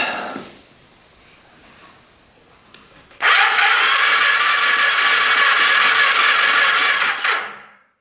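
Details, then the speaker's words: 1991 Kawasaki Vulcan 1200, long-neglected, on a jump pack: sluggish cranking at about three beats a second for four seconds with no firing and no spark seen at the plugs. It cranks but won't start; the jump pack is weak. "Turns over pretty good, but we're not getting anything."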